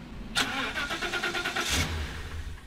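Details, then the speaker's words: Car battery drained with lights, fan and radio on, dropping from 11.78 V to about 9 V: the starter grinds in slow, uneven pulses, five or six a second, without catching; weak cranking from a discharged battery. "all right guys the voltage is dropping down really fast we're at around 9 volts right now let's see if we can start the car that's like a success you know a failure success but it's what we wanted i can't start it"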